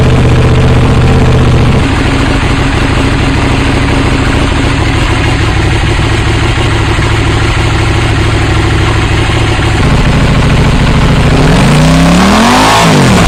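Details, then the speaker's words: KTM Duke 790 with new IXRACE MK2 aftermarket exhaust, baffle (DB killer) fitted: deep, loud, steady idle for about ten seconds, then a sharp rev climbing and dropping; normal, healthy exhaust note. "Bon, je pense que vous aurez compris pourquoi ils ont laissé la chicane, ça fait quand même pas mal de bruit, et puis bon, le bruit il est splendide."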